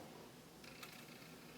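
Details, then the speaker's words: Yamaha KX-W262 double cassette deck, one faulty deck: pressing play gives faint whirring and a sharp click as the transport shifts into fast-forward or rewind instead of play; mechanism not engaging play. "this side actually doesn't work watch this you can see if I hit play it kind of tries to fast forward or something it'll rewind it'll fast forward"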